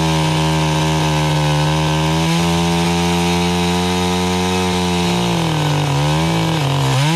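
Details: Stihl 031 AV chainsaw, about 1974–76, unused about five years before carb cleaning, cutting sassafras firewood: strong, steady high buzz at full throttle that bogs slightly into the cut and recovers cleanly; normal running under load.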